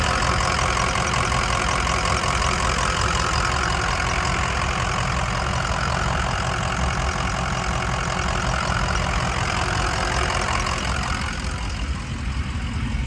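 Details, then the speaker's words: 2005 Ford Excursion Limited 6.0L Powerstroke diesel 2WD, 241k miles, never tuned, new turbo, 4-inch MBRP turbo-back exhaust; steady deep diesel clatter at idle with even beat, no misses, knocks or whine; healthy. "Guys, this truck sounds phenomenal. Sounds so good. That 4-inch turbo back exhaust and that new turbo sounds really good. Again, no tune or anything."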